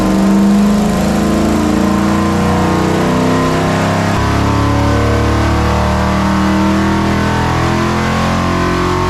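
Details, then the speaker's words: Numbers-matching Mopar 340 V8 in a full-throttle dyno pull toward 5,700 rpm, with the room fan on: smooth, even note climbing steadily under load with no knocks, ticks or rattles. Oil pressure good; healthy. "Sounds good. Oil pressure is good. Wow. At 57, we're still climbing."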